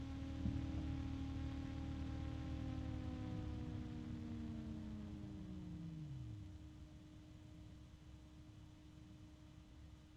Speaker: See how long it takes for this Noctua to stop spinning? It's like 16 seconds. 15, 16, something like that. Takes a long time, which just tells you the bearings are amazing.